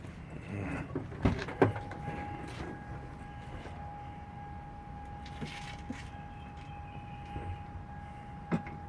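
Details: 2001 Toyota Corolla 1.8 with a cylinder 3 misfire, after swapping in a good spark plug: low steady rumble with an even faint tone and no stumbles. Normal idle on all cylinders.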